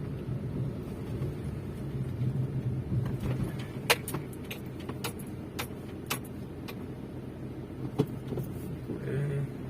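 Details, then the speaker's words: Maruti Suzuki Swift Dzire on road trial after replacing the engine mounting (foundation): quiet cabin hum and tyre rumble through a right turn, few light interior ticks, no vibration, knock or clunk; left-side noise on right turn is gone. "आता बघा, आपण right घेतलेला आहे. कोणत्याच प्रकारचा vibration किंवा असा sound कुठलाच येत नाहीये. तर आपला प्रॉब्लेम हा सॉल्व्ह झालेला आहे."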